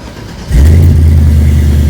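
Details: 1988 Chevy Caprice with 6.0-liter V8, 4L80 transmission and 3.73 gears; quick crank then catches instantly into a deep, steady V8 rumble that settles evenly; starts and idles healthy.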